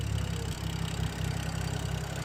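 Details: BMW F10 after a no-code rough idle that owner suspects came from pollen in the cold air intake, now cleaned and dried: smooth, steady low idle staying even with no stumble or misfire; idling normally.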